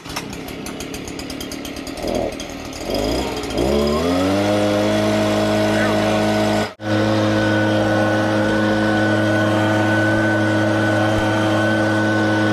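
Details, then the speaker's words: Stihl BG56C leaf blower that wouldn't start, after fitting a $25 aftermarket carburetor, on stabilized chainsaw mix, started with choke and primer. A few pull-start tugs, then it catches and settles into a steady, high, even drone; it runs cleanly. "So that's our Stihl BG56C leaf blower video, and we put that Chinese carburetor that we got off Amazon for $25 on there, and that took care of the problem."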